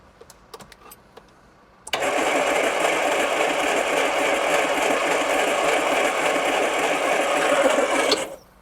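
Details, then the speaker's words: 1980s turbo hatch, A-series engine, 36,000 miles, unused since 1992: steady starter cranking about three and a half turns per second for six seconds, no firing at all despite strong spark and fuel delivery; crank no start. "Right. No fire. You know, this engine was starting to really baffle me. [music] Turning over and turning over and not firing at all."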